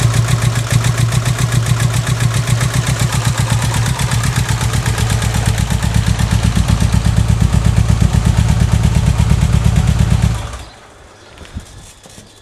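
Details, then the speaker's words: Subaru Impreza EJ18 with intake swapped from the old engine, new leads and plugs: lumpy, uneven idle stumbling about three times a second, not running on all four cylinders; misfire, cause unknown. "yeah as you can hear it doesn't sound like it's running on all four cylinders"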